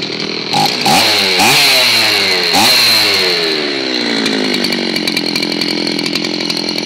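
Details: Old Zenoah chainsaw, fixed of its hard-start problem, with the RPM adjusted at the carburetor because it was too high: it starts cleanly and revs up and down smoothly with crisp throttle response, then settles into an even high-pitched run. Healthy.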